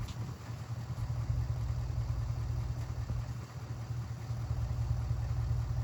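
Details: 1967 Mercury Park Lane, 410 Ford FE engine, cold start attempt on jumper cables: slow, laboured cranking at about two and a half turns a second with no catch; battery too weak, spark possibly inconsistent, timing needs adjusting.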